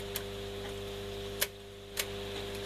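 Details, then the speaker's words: Telefunken Magnetophon 95 tape recorder after reshaping the old belt by boiling and applying rubber renew: even quiet hum with a few light clicks as tape winds; earlier noise gone and speed corrected; normal tape winding. "It's not brilliant, but as you can hear, that noise is gone."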